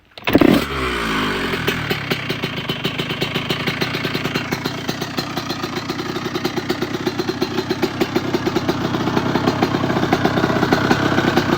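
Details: 1997 Honda CR125 two-stroke on the stand, first start after rebuild with new Vertex B piston, new gaskets and silencer: kicks over at once and settles into a crisp, even idle that lifts slightly near the end; runs healthy.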